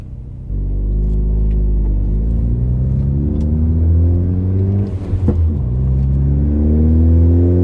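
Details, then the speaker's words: Ford Focus ST with a loud exhaust, climbing a hill under load: a deep, booming drone that slowly rises in pitch and fills the cabin, exhaust drone. "god like i gotta scream at you to talk to you right now it's not good it's so freaking loud on the inside that's not where you want it to be loud you want to be loud on the outside drone is not fun being loud is fun drone is annoying"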